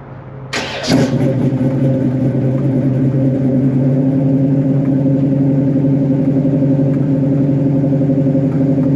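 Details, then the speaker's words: 1968 Camaro V8 with a four-barrel carb and under 10K miles on the engine and transmission, 44,135 miles showing, moved 20 minutes earlier so not a full cold start: catches quickly into a deep, even rumble with no knocks or misses; a healthy start and rev. "man this thing just sings nice and smooth the engine sounds"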